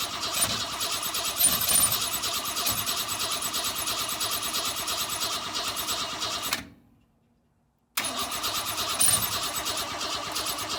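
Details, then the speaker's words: 1962 Ford Falcon inline engine, unrun for 25 years, with a non-factory carb on an adapter plate and gas poured in: the starter churns at about three turns a second with no firing. Ignition timing was way off. "once I got the timing kind of squared away I think that was the biggest problem was the timing it was way off once I got that kind of squared away it seemed to fire right up"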